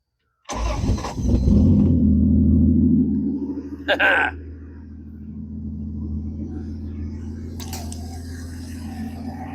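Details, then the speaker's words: Dart engine after repairing broken exhaust manifold bolts and fitting a new gasket, choke thermostat still missing; cranks, catches quickly and settles into a smooth even idle with no manifold ticking or leak; normal start and idle. "So much better cuz it was just a open manifold right here. But I don't feel any exhaust leaking out of it."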